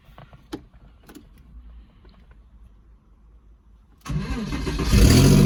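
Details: Porsche Boxster hardly running: cranks and catches after about four seconds, then settles into an uneven, stumbling rough idle; owner asks whether it is running on only 3 cylinders, cause unconfirmed.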